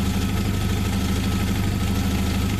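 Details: 1995 Jeep Wrangler YJ after no-start fixed with new coil and plug: steady, even low rumble at smooth idle, no misses or knocks, loud through a blown-out muffler; normal idle.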